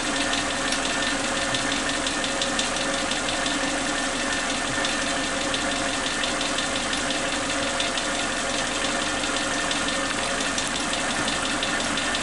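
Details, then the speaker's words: Suzuki Katana car after new spark plug leads replaced the faulty old ones: a smooth, steady idle with an even hum and no rpm dips or exhaust popping. The engine now runs healthy. "teman-teman, RPM-nya sangat stabil ya, tidak ada turun-turunnya sedikit, tidak ada jeda-jeda turunnya seperti yang sebelumnya. Sangat stabil."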